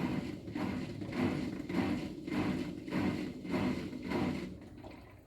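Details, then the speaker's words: Ariston washing machine after repairing F15 error (replaced dryer duct with fan motor, dryer heater elements, vent), spin-only cycle: quiet rhythmic swish under twice a second, no knocking or scraping; no error, runs normally. "yes drum is rotating no any issue I think control board everything okay perfect"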